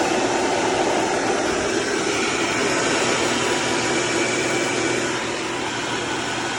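Constant gritty whirring grind with no knock or rhythm over the drive noise, typical of a worn transfer case input bearing.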